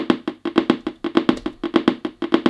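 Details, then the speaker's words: Turntable system with rhythmic clicking popping through the speakers, about six a second, faster as volume rises and unrelated to turntable speed; cause a faulty capacitor in the amplifier. "When the turntable goes round, it keeps clicking. Listen to that. And the more volume you put on, the quicker the clicking is."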